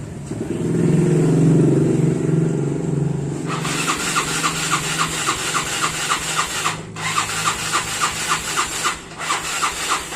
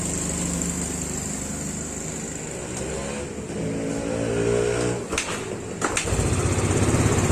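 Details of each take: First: Yamaha Mio Sporty scooter that often stalls, now won't start: a short hum, then repeated cranking strokes about three or four a second that never catch; no-start. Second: Yamaha Mio Sporty scooter that kept stalling and would not start, after fixing a poorly connected part: small single-cylinder engine idling with a steady, even putter, no misses or stalling; running normally again.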